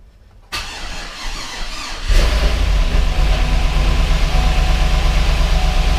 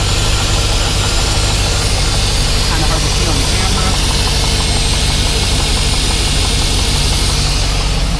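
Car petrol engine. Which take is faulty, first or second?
first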